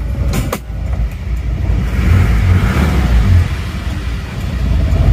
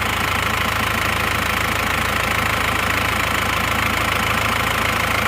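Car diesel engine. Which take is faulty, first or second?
first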